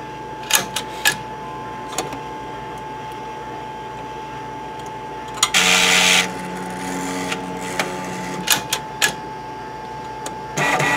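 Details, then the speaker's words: M2X Series DTG printer during fourth, longer cleaning with white ink line connected: clicks and clacks, then steady whirring hum over a thin constant tone as the white ink circulation pump turns on; normal operation. "that noise you hear is the circulation pump that just turned"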